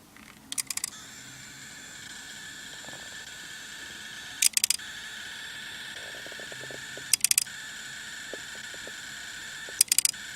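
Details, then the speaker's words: Nikon Coolpix S9900 partly disassembled, powered on: short high-pitched motor buzzes in bursts about every three seconds over faint clicking, then lens error; owner suspects the other lens motor or mechanism, not confirmed. "okay and then I get this lens err"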